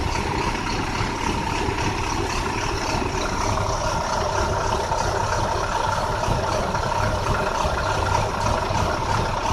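Steady diesel idle with an uneven, lumpy beat underneath and no clean rhythm, pointing to a misfiring cylinder; cause unclear.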